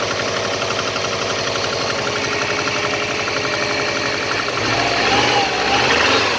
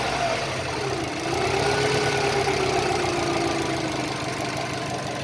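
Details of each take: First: Subaru EJ205 turbo, over 200,000 km, about −15 °C outside: cold idle has a sharp regular tapping knock, about four a second, with a rev blip; it seems to fade once warm. Oil changed every 5–6k km, no oil use, compression 13.5–14, boost 0.7; cause unconfirmed. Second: Subaru EJ205 turbo, over 200,000 km, compression 13.5-14, boost 0.7, oil changed every 5-6 thousand km and not consumed, about minus 15 °C outside, now warmed: steady even idle under a faint whistle, cold knock seems gone.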